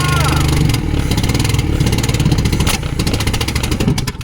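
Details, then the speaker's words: 1972 Volvo 145 four-cylinder, first start after purchase with fuel rigged and vacuum ports plugged: lumpy, uneven low chugging with missing beats, only two cylinders firing because two spark plug wires were disconnected; explains the very hard start. "That ran like trash, though. That would be why. No wonder it was so goddamn hard to start. That was dumb. Where's my other plug wires?"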